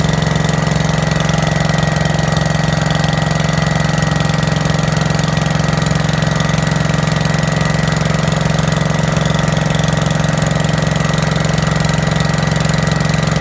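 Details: 5665 that was leaking gas out the carb, test run after carb work using starting fluid to start it; steady even idle with a low hum, but running way too rich, choke tweaked while adjusting.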